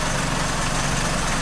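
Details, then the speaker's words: 2004 Chrysler PT Cruiser at idle: rough, uneven idle with an irregular stumble, misfire and knock; timing belt checked and found off about four cogs. "what happen with this is governing delegate said it and I did check the timing on it it is off about four cogs"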